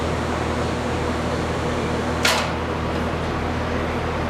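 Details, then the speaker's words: First-time TIG welding practice run: steady, even arc hiss with no pops or sputtering throughout; smooth, consistent weld. "That was smooth. That sounded very good. Good job."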